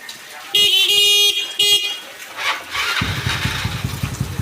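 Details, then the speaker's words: Yamaha Mio bored up to 155cc, standard stroke, 11.5 compression, modified TDR plug, just assembled: a few horn bleats, then it fires first try and holds a quick, even idle putter; starts easily, healthy after the build. "Ya, starternya gampang ya teman-teman, karena kompresinya kecil ya, di 11.5 ya."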